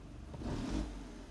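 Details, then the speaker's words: BMW E46 compact, 2.0 N42 engine, after replacing a bad ignition coil with a known-good spare: engine picks up cleanly on a quick throttle blip and settles back evenly, no stumble or misfire; normal revving, owner says it runs well. "oh yeah yep runs like a baby well a baby that started walking or running"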